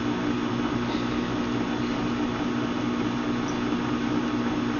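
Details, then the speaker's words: Westinghouse Portatape H25R1 reel-to-reel tape recorder warming up: steady loud motor drone with buzzy low hum; owner says the motor mounts are shot and need replacing; noisy motor hum. "well it warm up you probably hear the motor it needs some new motor mounts because the motor mounts in our shot"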